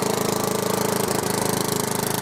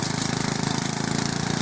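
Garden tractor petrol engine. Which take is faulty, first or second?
first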